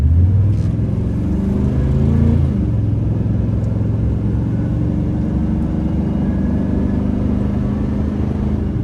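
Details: 2005 Chevrolet Silverado 3500 dually 4x4, 8.1 L V8, Allison automatic, 26,000 miles, climbing a hill through the gears: deep V8 rumble swelling and settling with each shift, no knocks, slips or whine; normal healthy acceleration.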